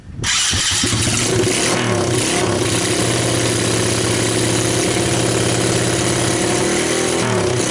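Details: SSR 125cc pit bike with a $13 eBay replacement CDI ignition, cold start: catches within a fraction of a second and settles into a steady, even idle with no misfires; healthy.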